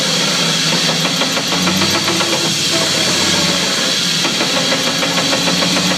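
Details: 2004 Chevy Silverado with brand-new driveshaft and new U-joints: quick regular clunking knock over steady hiss and hum from the driveline; cause unknown to owner.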